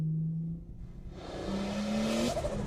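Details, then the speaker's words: Lexus IS200 wagon with turbo conversion, lightweight flywheel and new clutch, warmed up, climbing a steep hill in 3rd gear under load: engine note climbs smoothly with no tick-tick left; ticking was traced to the lambda sensor; normal running. "There's no more of the tick-tick, so that's good. It really was coming from the lambda sensor."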